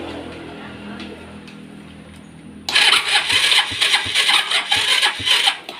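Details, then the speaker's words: Step 125 scooter after wiring fault (stalling when braking or using turn signals) was traced and repaired, kick-started with flat battery: fires at about three seconds, keeps running with bright, slightly uneven exhaust patter; normal start. "แบตเตอรี่ไม่มีนะครับแต่ก็ถือว่าstartได้แล้วนะครับรอแบตเตอรี่เต็มนะครับ"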